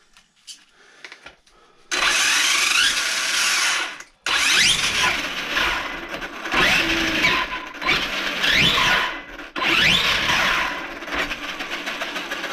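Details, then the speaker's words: Traxxas E-Revo RC truck, earlier clicking: high-pitched whine rising and falling with throttle bursts, seeming to come from rear end with spiral-cut diff; owner suspects rear diff needs shims, gear whine. "all right it does kind of sound like it's coming from the rear end which is not good because i think that's where i put the spiral cut dip in is in the rear end not the front"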